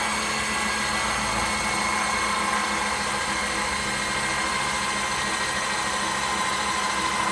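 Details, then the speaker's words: Makita drill at high speed driving an alternator and bulbs on a test rig, 17 seconds into the test. A slow, steady whine that never picks up as the alternator slows. Only 7.5 V reaches the bulbs, and current has fallen to about 0.5–1 A. "so at the moment sounding pretty slow we've only got 7 and 1/2 volts going to these bulbs the alternator is slowing down"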